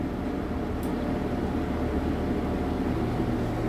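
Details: Vintage Sears Homart belt-drive window fan, 1/6 HP Craftsman motor, after oiling its porous bronze bearings with 30 weight oil: steady even whir with low hum, no rattle, squeal or wobble; runs smoothly on high.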